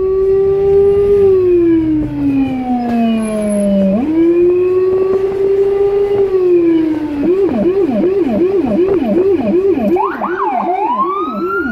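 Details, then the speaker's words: Emergency car in Budapest running a high-pitch siren plus a Federal Signal Rumbler, recorded from inside the car. A slow wail, then a fast yelp, over a deep pulsing 180–360 Hz low tone amid traffic: siren with Rumbler working. "It's often used with the typical high pitch siren. A low-end frequency can get through more easily on hard surfaces such as car windows, so it makes it easier for the traffic to notice us and give us free space faster."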